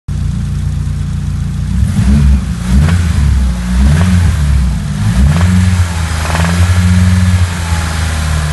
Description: need help..sr20det WTF is that knocking sound.. LIfters,conrod or?? thx in advance